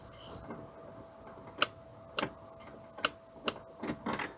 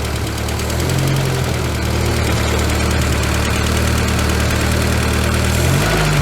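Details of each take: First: VW Scirocco Mk2 with a Pierburg 2E2 carburettor: sharp metallic clicks from the idle stabilization valve as the ignition key is turned on, showing it is powered and working while the TTV heater circuit is faulty. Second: VW Scirocco MK2 with Pierburg 2E2 carburettor, first run after three years sitting: steady idle on the waxstat fast-idle step, speed too quick, being lowered via the Allen screw; later about 1100 rpm once warm.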